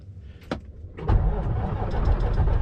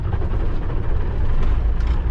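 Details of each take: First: Kenworth K100E Aerodyne cabover diesel, cab jacked up, cranking after fuel filter swap and screen clean with fuel poured back in; a few clicks then rough, uneven churning, slow to fire. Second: Kenworth K100E Aerodyne cabover diesel, cab jacked up, just started after fuel filter swap and screen clean; steady deep rumble with no stumbling or surging, idling normally.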